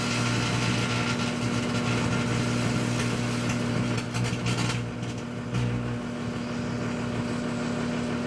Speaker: This will create a plasma, like we saw in the fluorescent light bulb.